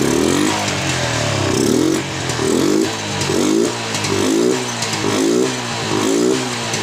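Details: Yamaha Jupiter MX New after servicing a never-serviced carburetor (hard starting, stuttering, mid-range hesitation; ignition normal): small engine rises and falls in smooth rev blips about once a second, picking up cleanly without stumbling; normal revving.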